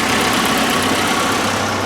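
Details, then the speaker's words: 1981 Alfa Romeo Spider Veloce, just started after years in storage and fuel and ignition work. It idles smoothly but a touch fast with a bright exhaust note. Ignition timing is slightly advanced and is to be retarded with a timing light. "it's a little bit advanced at the moment so i think once we play around with the timing and get the timing light on it we'll uh recharge the timing a little bit and see if we can affect the idle a little bit it sounds pretty good to me"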